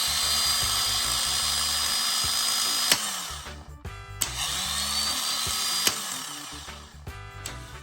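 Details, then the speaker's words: MK3 Toyota Supra 3.0L 24-valve, rebuilt starter bench-tested with jumper cables: sharp solenoid clack, high steady spin, clack on release, twice; Bendix snapping in and out freely, normal starter operation. "Now that we've replaced the starter with a new one and we've rebuilt this one and tested it, you can watch the Bendex is snapping in and out with ease. There's no hang-ups. There's no issues."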